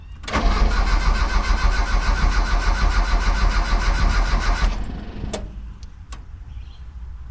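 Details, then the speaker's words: Mitsubishi L200 after EFI conversion, day two of a no-start. A missing second ECU ignition signal wire was bridged, but the starter churns steadily about three beats a second for four seconds with no catch. Cranks but won't fire; distributor timing off. "Diagnosing why this thing won't start. Um, I've worked out that the ECU um didn't have a second ignition signal wire that I found through some forum."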